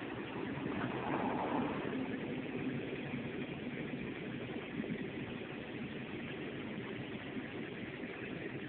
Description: 2006 Toyota Prius making noise from engine compartment, help identify please, runs for a few mins then the big red triangle and shuts down